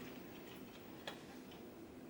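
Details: Amiga 1200 with 8 MB memory: soft, light ticking of the floppy head stepping in a quiet room, with no grinding or repeated hard clunks; the floppy drive is reading normally.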